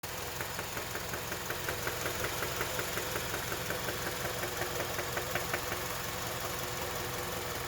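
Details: KIA Magentis 2.0, G4KA engine at idle: sharp regular knock close to three a second clearly over an even idle; serious internal engine knock, not safe to keep driving, needs immediate repair.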